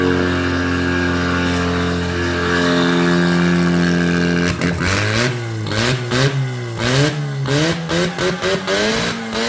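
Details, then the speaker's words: Rebuilt rotary engine for Ford Ranger swap, first test run on old carburetor, two-stroke oil: catches and revs freely with clean rising and falling pitch, no knocks or misfires; normal running, needs tuning. "that is what we call a successful test run i am totally smoked out two-stroke oil which is excellent it's not it seems to be running okay it needs some more tuning of course"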